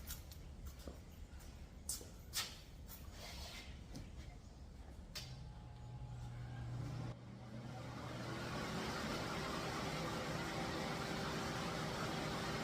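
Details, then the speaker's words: DIY paint booth filter box with two 3400 CFM blowers on a 12-gauge heavy-duty extension cord and power strip: a few clicks, then a rushing whoosh builds to a steady, even roar with a faint rising hum; the blowers run normally. "So I'm going to fire these up and you can hear them run."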